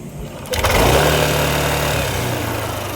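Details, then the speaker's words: Yamaha NMAX 155 V2 that had been stalling at idle and then would not start; after fitting a manual NMAX V2 ignition coil/IC, it starts and settles into a steady, even buzzing idle once the idle is adjusted. "Para magkaroon ng idle itong motor, kinakabitan ko nga ito ng manual na IC na pang NMAX na version 2. Pagkatapos papaandarin ko itong motor at doon ako mag-a-adjust ng menor."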